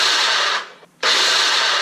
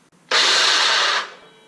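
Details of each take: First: DeWalt DW708 miter saw after replacing the armature bearing to cure a loud saw: the motor spins up to a clean, steady whine and coasts down smoothly, with no grinding or bearing rattle. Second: DeWalt DW708 miter saw motor runs about a second with a harsh, raspy high-pitched roar, sounding terrible, from a worn armature bearing before replacement.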